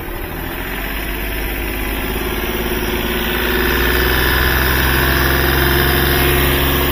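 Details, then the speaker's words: Hyundai Xcent diesel whose injectors were repaired four months earlier for late starting and knocking: steady, even idle clatter at about four beats a second. Injector return is fine and no tak-tak knock stands out; normal idle. "आपने कोई टक टक टक की आवाज तो है नहीं"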